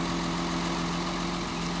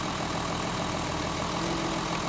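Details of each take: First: Mercedes 280 SE: number two lead plugged back in after a test pull and the engine smooths out; steady even idle with no dips or stumbles. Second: Mercedes 280 SE just out of storage, missing and shaking on the road, cylinder-by-cylinder plug-wire pull test at idle: slightly lumpy idle with a regular soft stumble; pulling number two's wire barely changes RPM, so cylinder two is dead.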